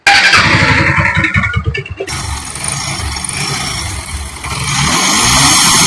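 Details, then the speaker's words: Bajaj Pulsar AS150, 2561 km: harsh, choppy revving with an uneven cutting beat, engine cutting out badly and throwing white smoke; abnormal engine noise, engine to be opened to find the cause. "Total इसका engine का ये हाल है दोस्तों काफी बुरी तरह से sound cut कर रहा है दोस्तों और वाइट स्न रहा है"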